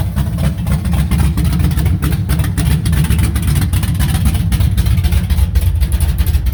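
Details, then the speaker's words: 1970 Chevy C10 original 350 short block with stock cam, Vortec heads, aluminum dual-plane intake, Holley 650 carb, HEI, running open headers: loud deep lumpy rumble with steady choppy beat, even idle, healthy; normal idle. "still has a stock cam in it but for what it is sounds pretty good"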